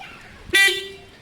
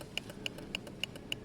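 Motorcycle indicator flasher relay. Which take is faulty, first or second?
second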